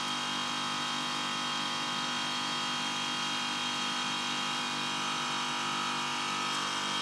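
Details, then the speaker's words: Milk-cooling condensing unit running after a new condenser fan motor and correctly sized secondhand blade were fitted (old motor's front bearing failed); even compressor hum and steady fan whoosh, no rattles: normal running. "it's going to need to run for a bit probably get a bit of head pressure"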